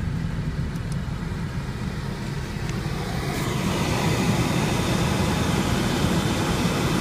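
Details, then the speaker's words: VW Polo 9N 2003 heater blower motor at third speed after removing the leaf-and-dust-clogged cabin filter: loud rough air rush with low rumble swelling, noise less loud but still present, dashboard vibrating. "after removing the filter the noise is not so loud now for third speed"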